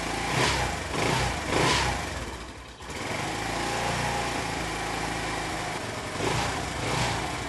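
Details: Honda C90 small single with a new aftermarket 19mm PB-style carburettor, throttle cable shortened for free play: settles into a steady idle between throttle blips, returning cleanly each time; running normally.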